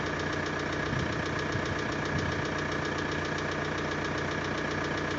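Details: VW 1.9 TDI 66 kW diesel, cold idle: loose irregular knock about two to three per second over the clatter, from the pulley/valve cover side, worsening over two years and louder in colder weather; lifters and injectors replaced without effect, cause unclear.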